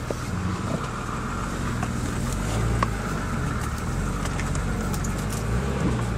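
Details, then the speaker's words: E36 on a freshly rebuilt, not-yet-broken-in engine, downstream O2 sensors removed and check-engine light on: loud, gruff, diesel-like idle with dense low clatter; owner suspects unbled lifters, unseated valves and unbroken-in piston rings. "again this one's still louder than sounds pretty loud yeah cuz the motor's not broken in yet almost sounds like a diesel I don't think the um the lifters are fully bled uh the valves hasn't fully seated the piston rings aren't fully broken in yet and it needs an alignment"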